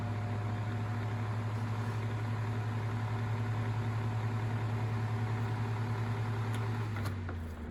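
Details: Galaxy 9-inch desk fan (model 2154 believed), with a motor the owner thinks is an old Sanyo motor: smooth, steady low hum with no rattle or wobble, then it winds down when switched off; normal, healthy running.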